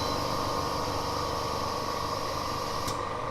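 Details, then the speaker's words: BM03 vacuum laminating machine just started from the LCD panel: steady even hum near 1 kHz with a light fan-like hiss, no knocks or rattles; laminating cycle running normally. "Now it will start working. See? Now it's working."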